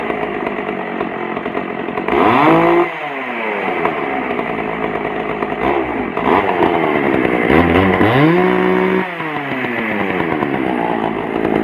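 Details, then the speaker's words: Pioneer P41 chainsaw, old non-running saw, after carburetor cleaning and low-speed mixture adjustment; a crisp two-stroke buzz revs and drops cleanly back to a steady idle without stumbling. Normal healthy running. "wow oh so there you go she's up and running i adjusted to where i like it"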